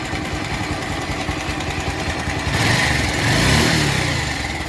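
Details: Bajaj Pulsar 180 BS4 single at idle: light, fast ticking clatter that swells when the throttle is blipped. Timing chain noise, pointing to a slack timing chain.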